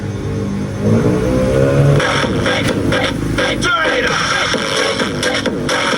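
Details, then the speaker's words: Konzert AV-502C amplifier (original) playing music from a cellphone input: harsh, crackly, breaking-up output, worse on one channel, checked after the master volume/tone control stage. "parang basag yung tunog no lalo onong isa oh. Mapangit yung tunog oh."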